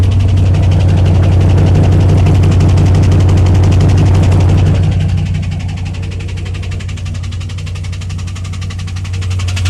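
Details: 2001 WS6 LS1 5.7L V8 idling after losing all oil (pressure 30 to 0) and refilling: steady even tick about three per second under low rumble; earlier ticked only at high rpm, cause unknown.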